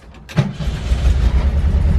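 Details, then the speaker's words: VW Bus restarting right after shutdown: brief starter whirr, catches at once into a low, even rumble; healthy quick restart despite exhaust needing work and a suspected leaking fuel pump or fuel line. "Fires right back up. Literally fires right back up."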